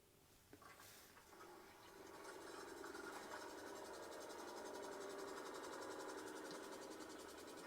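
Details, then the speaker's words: Factory Jayco caravan water pump heard from about 1.5–2 m away, with the bed open and the phone on the bench. A loud, steady, fast-pulsing hum measuring 62–65 dB; noisy baseline before replacement. "and as you can sort of see there it sort of peaked it around about that 65 and then sort of sat around that 62 to sort of 63 sort of Mark"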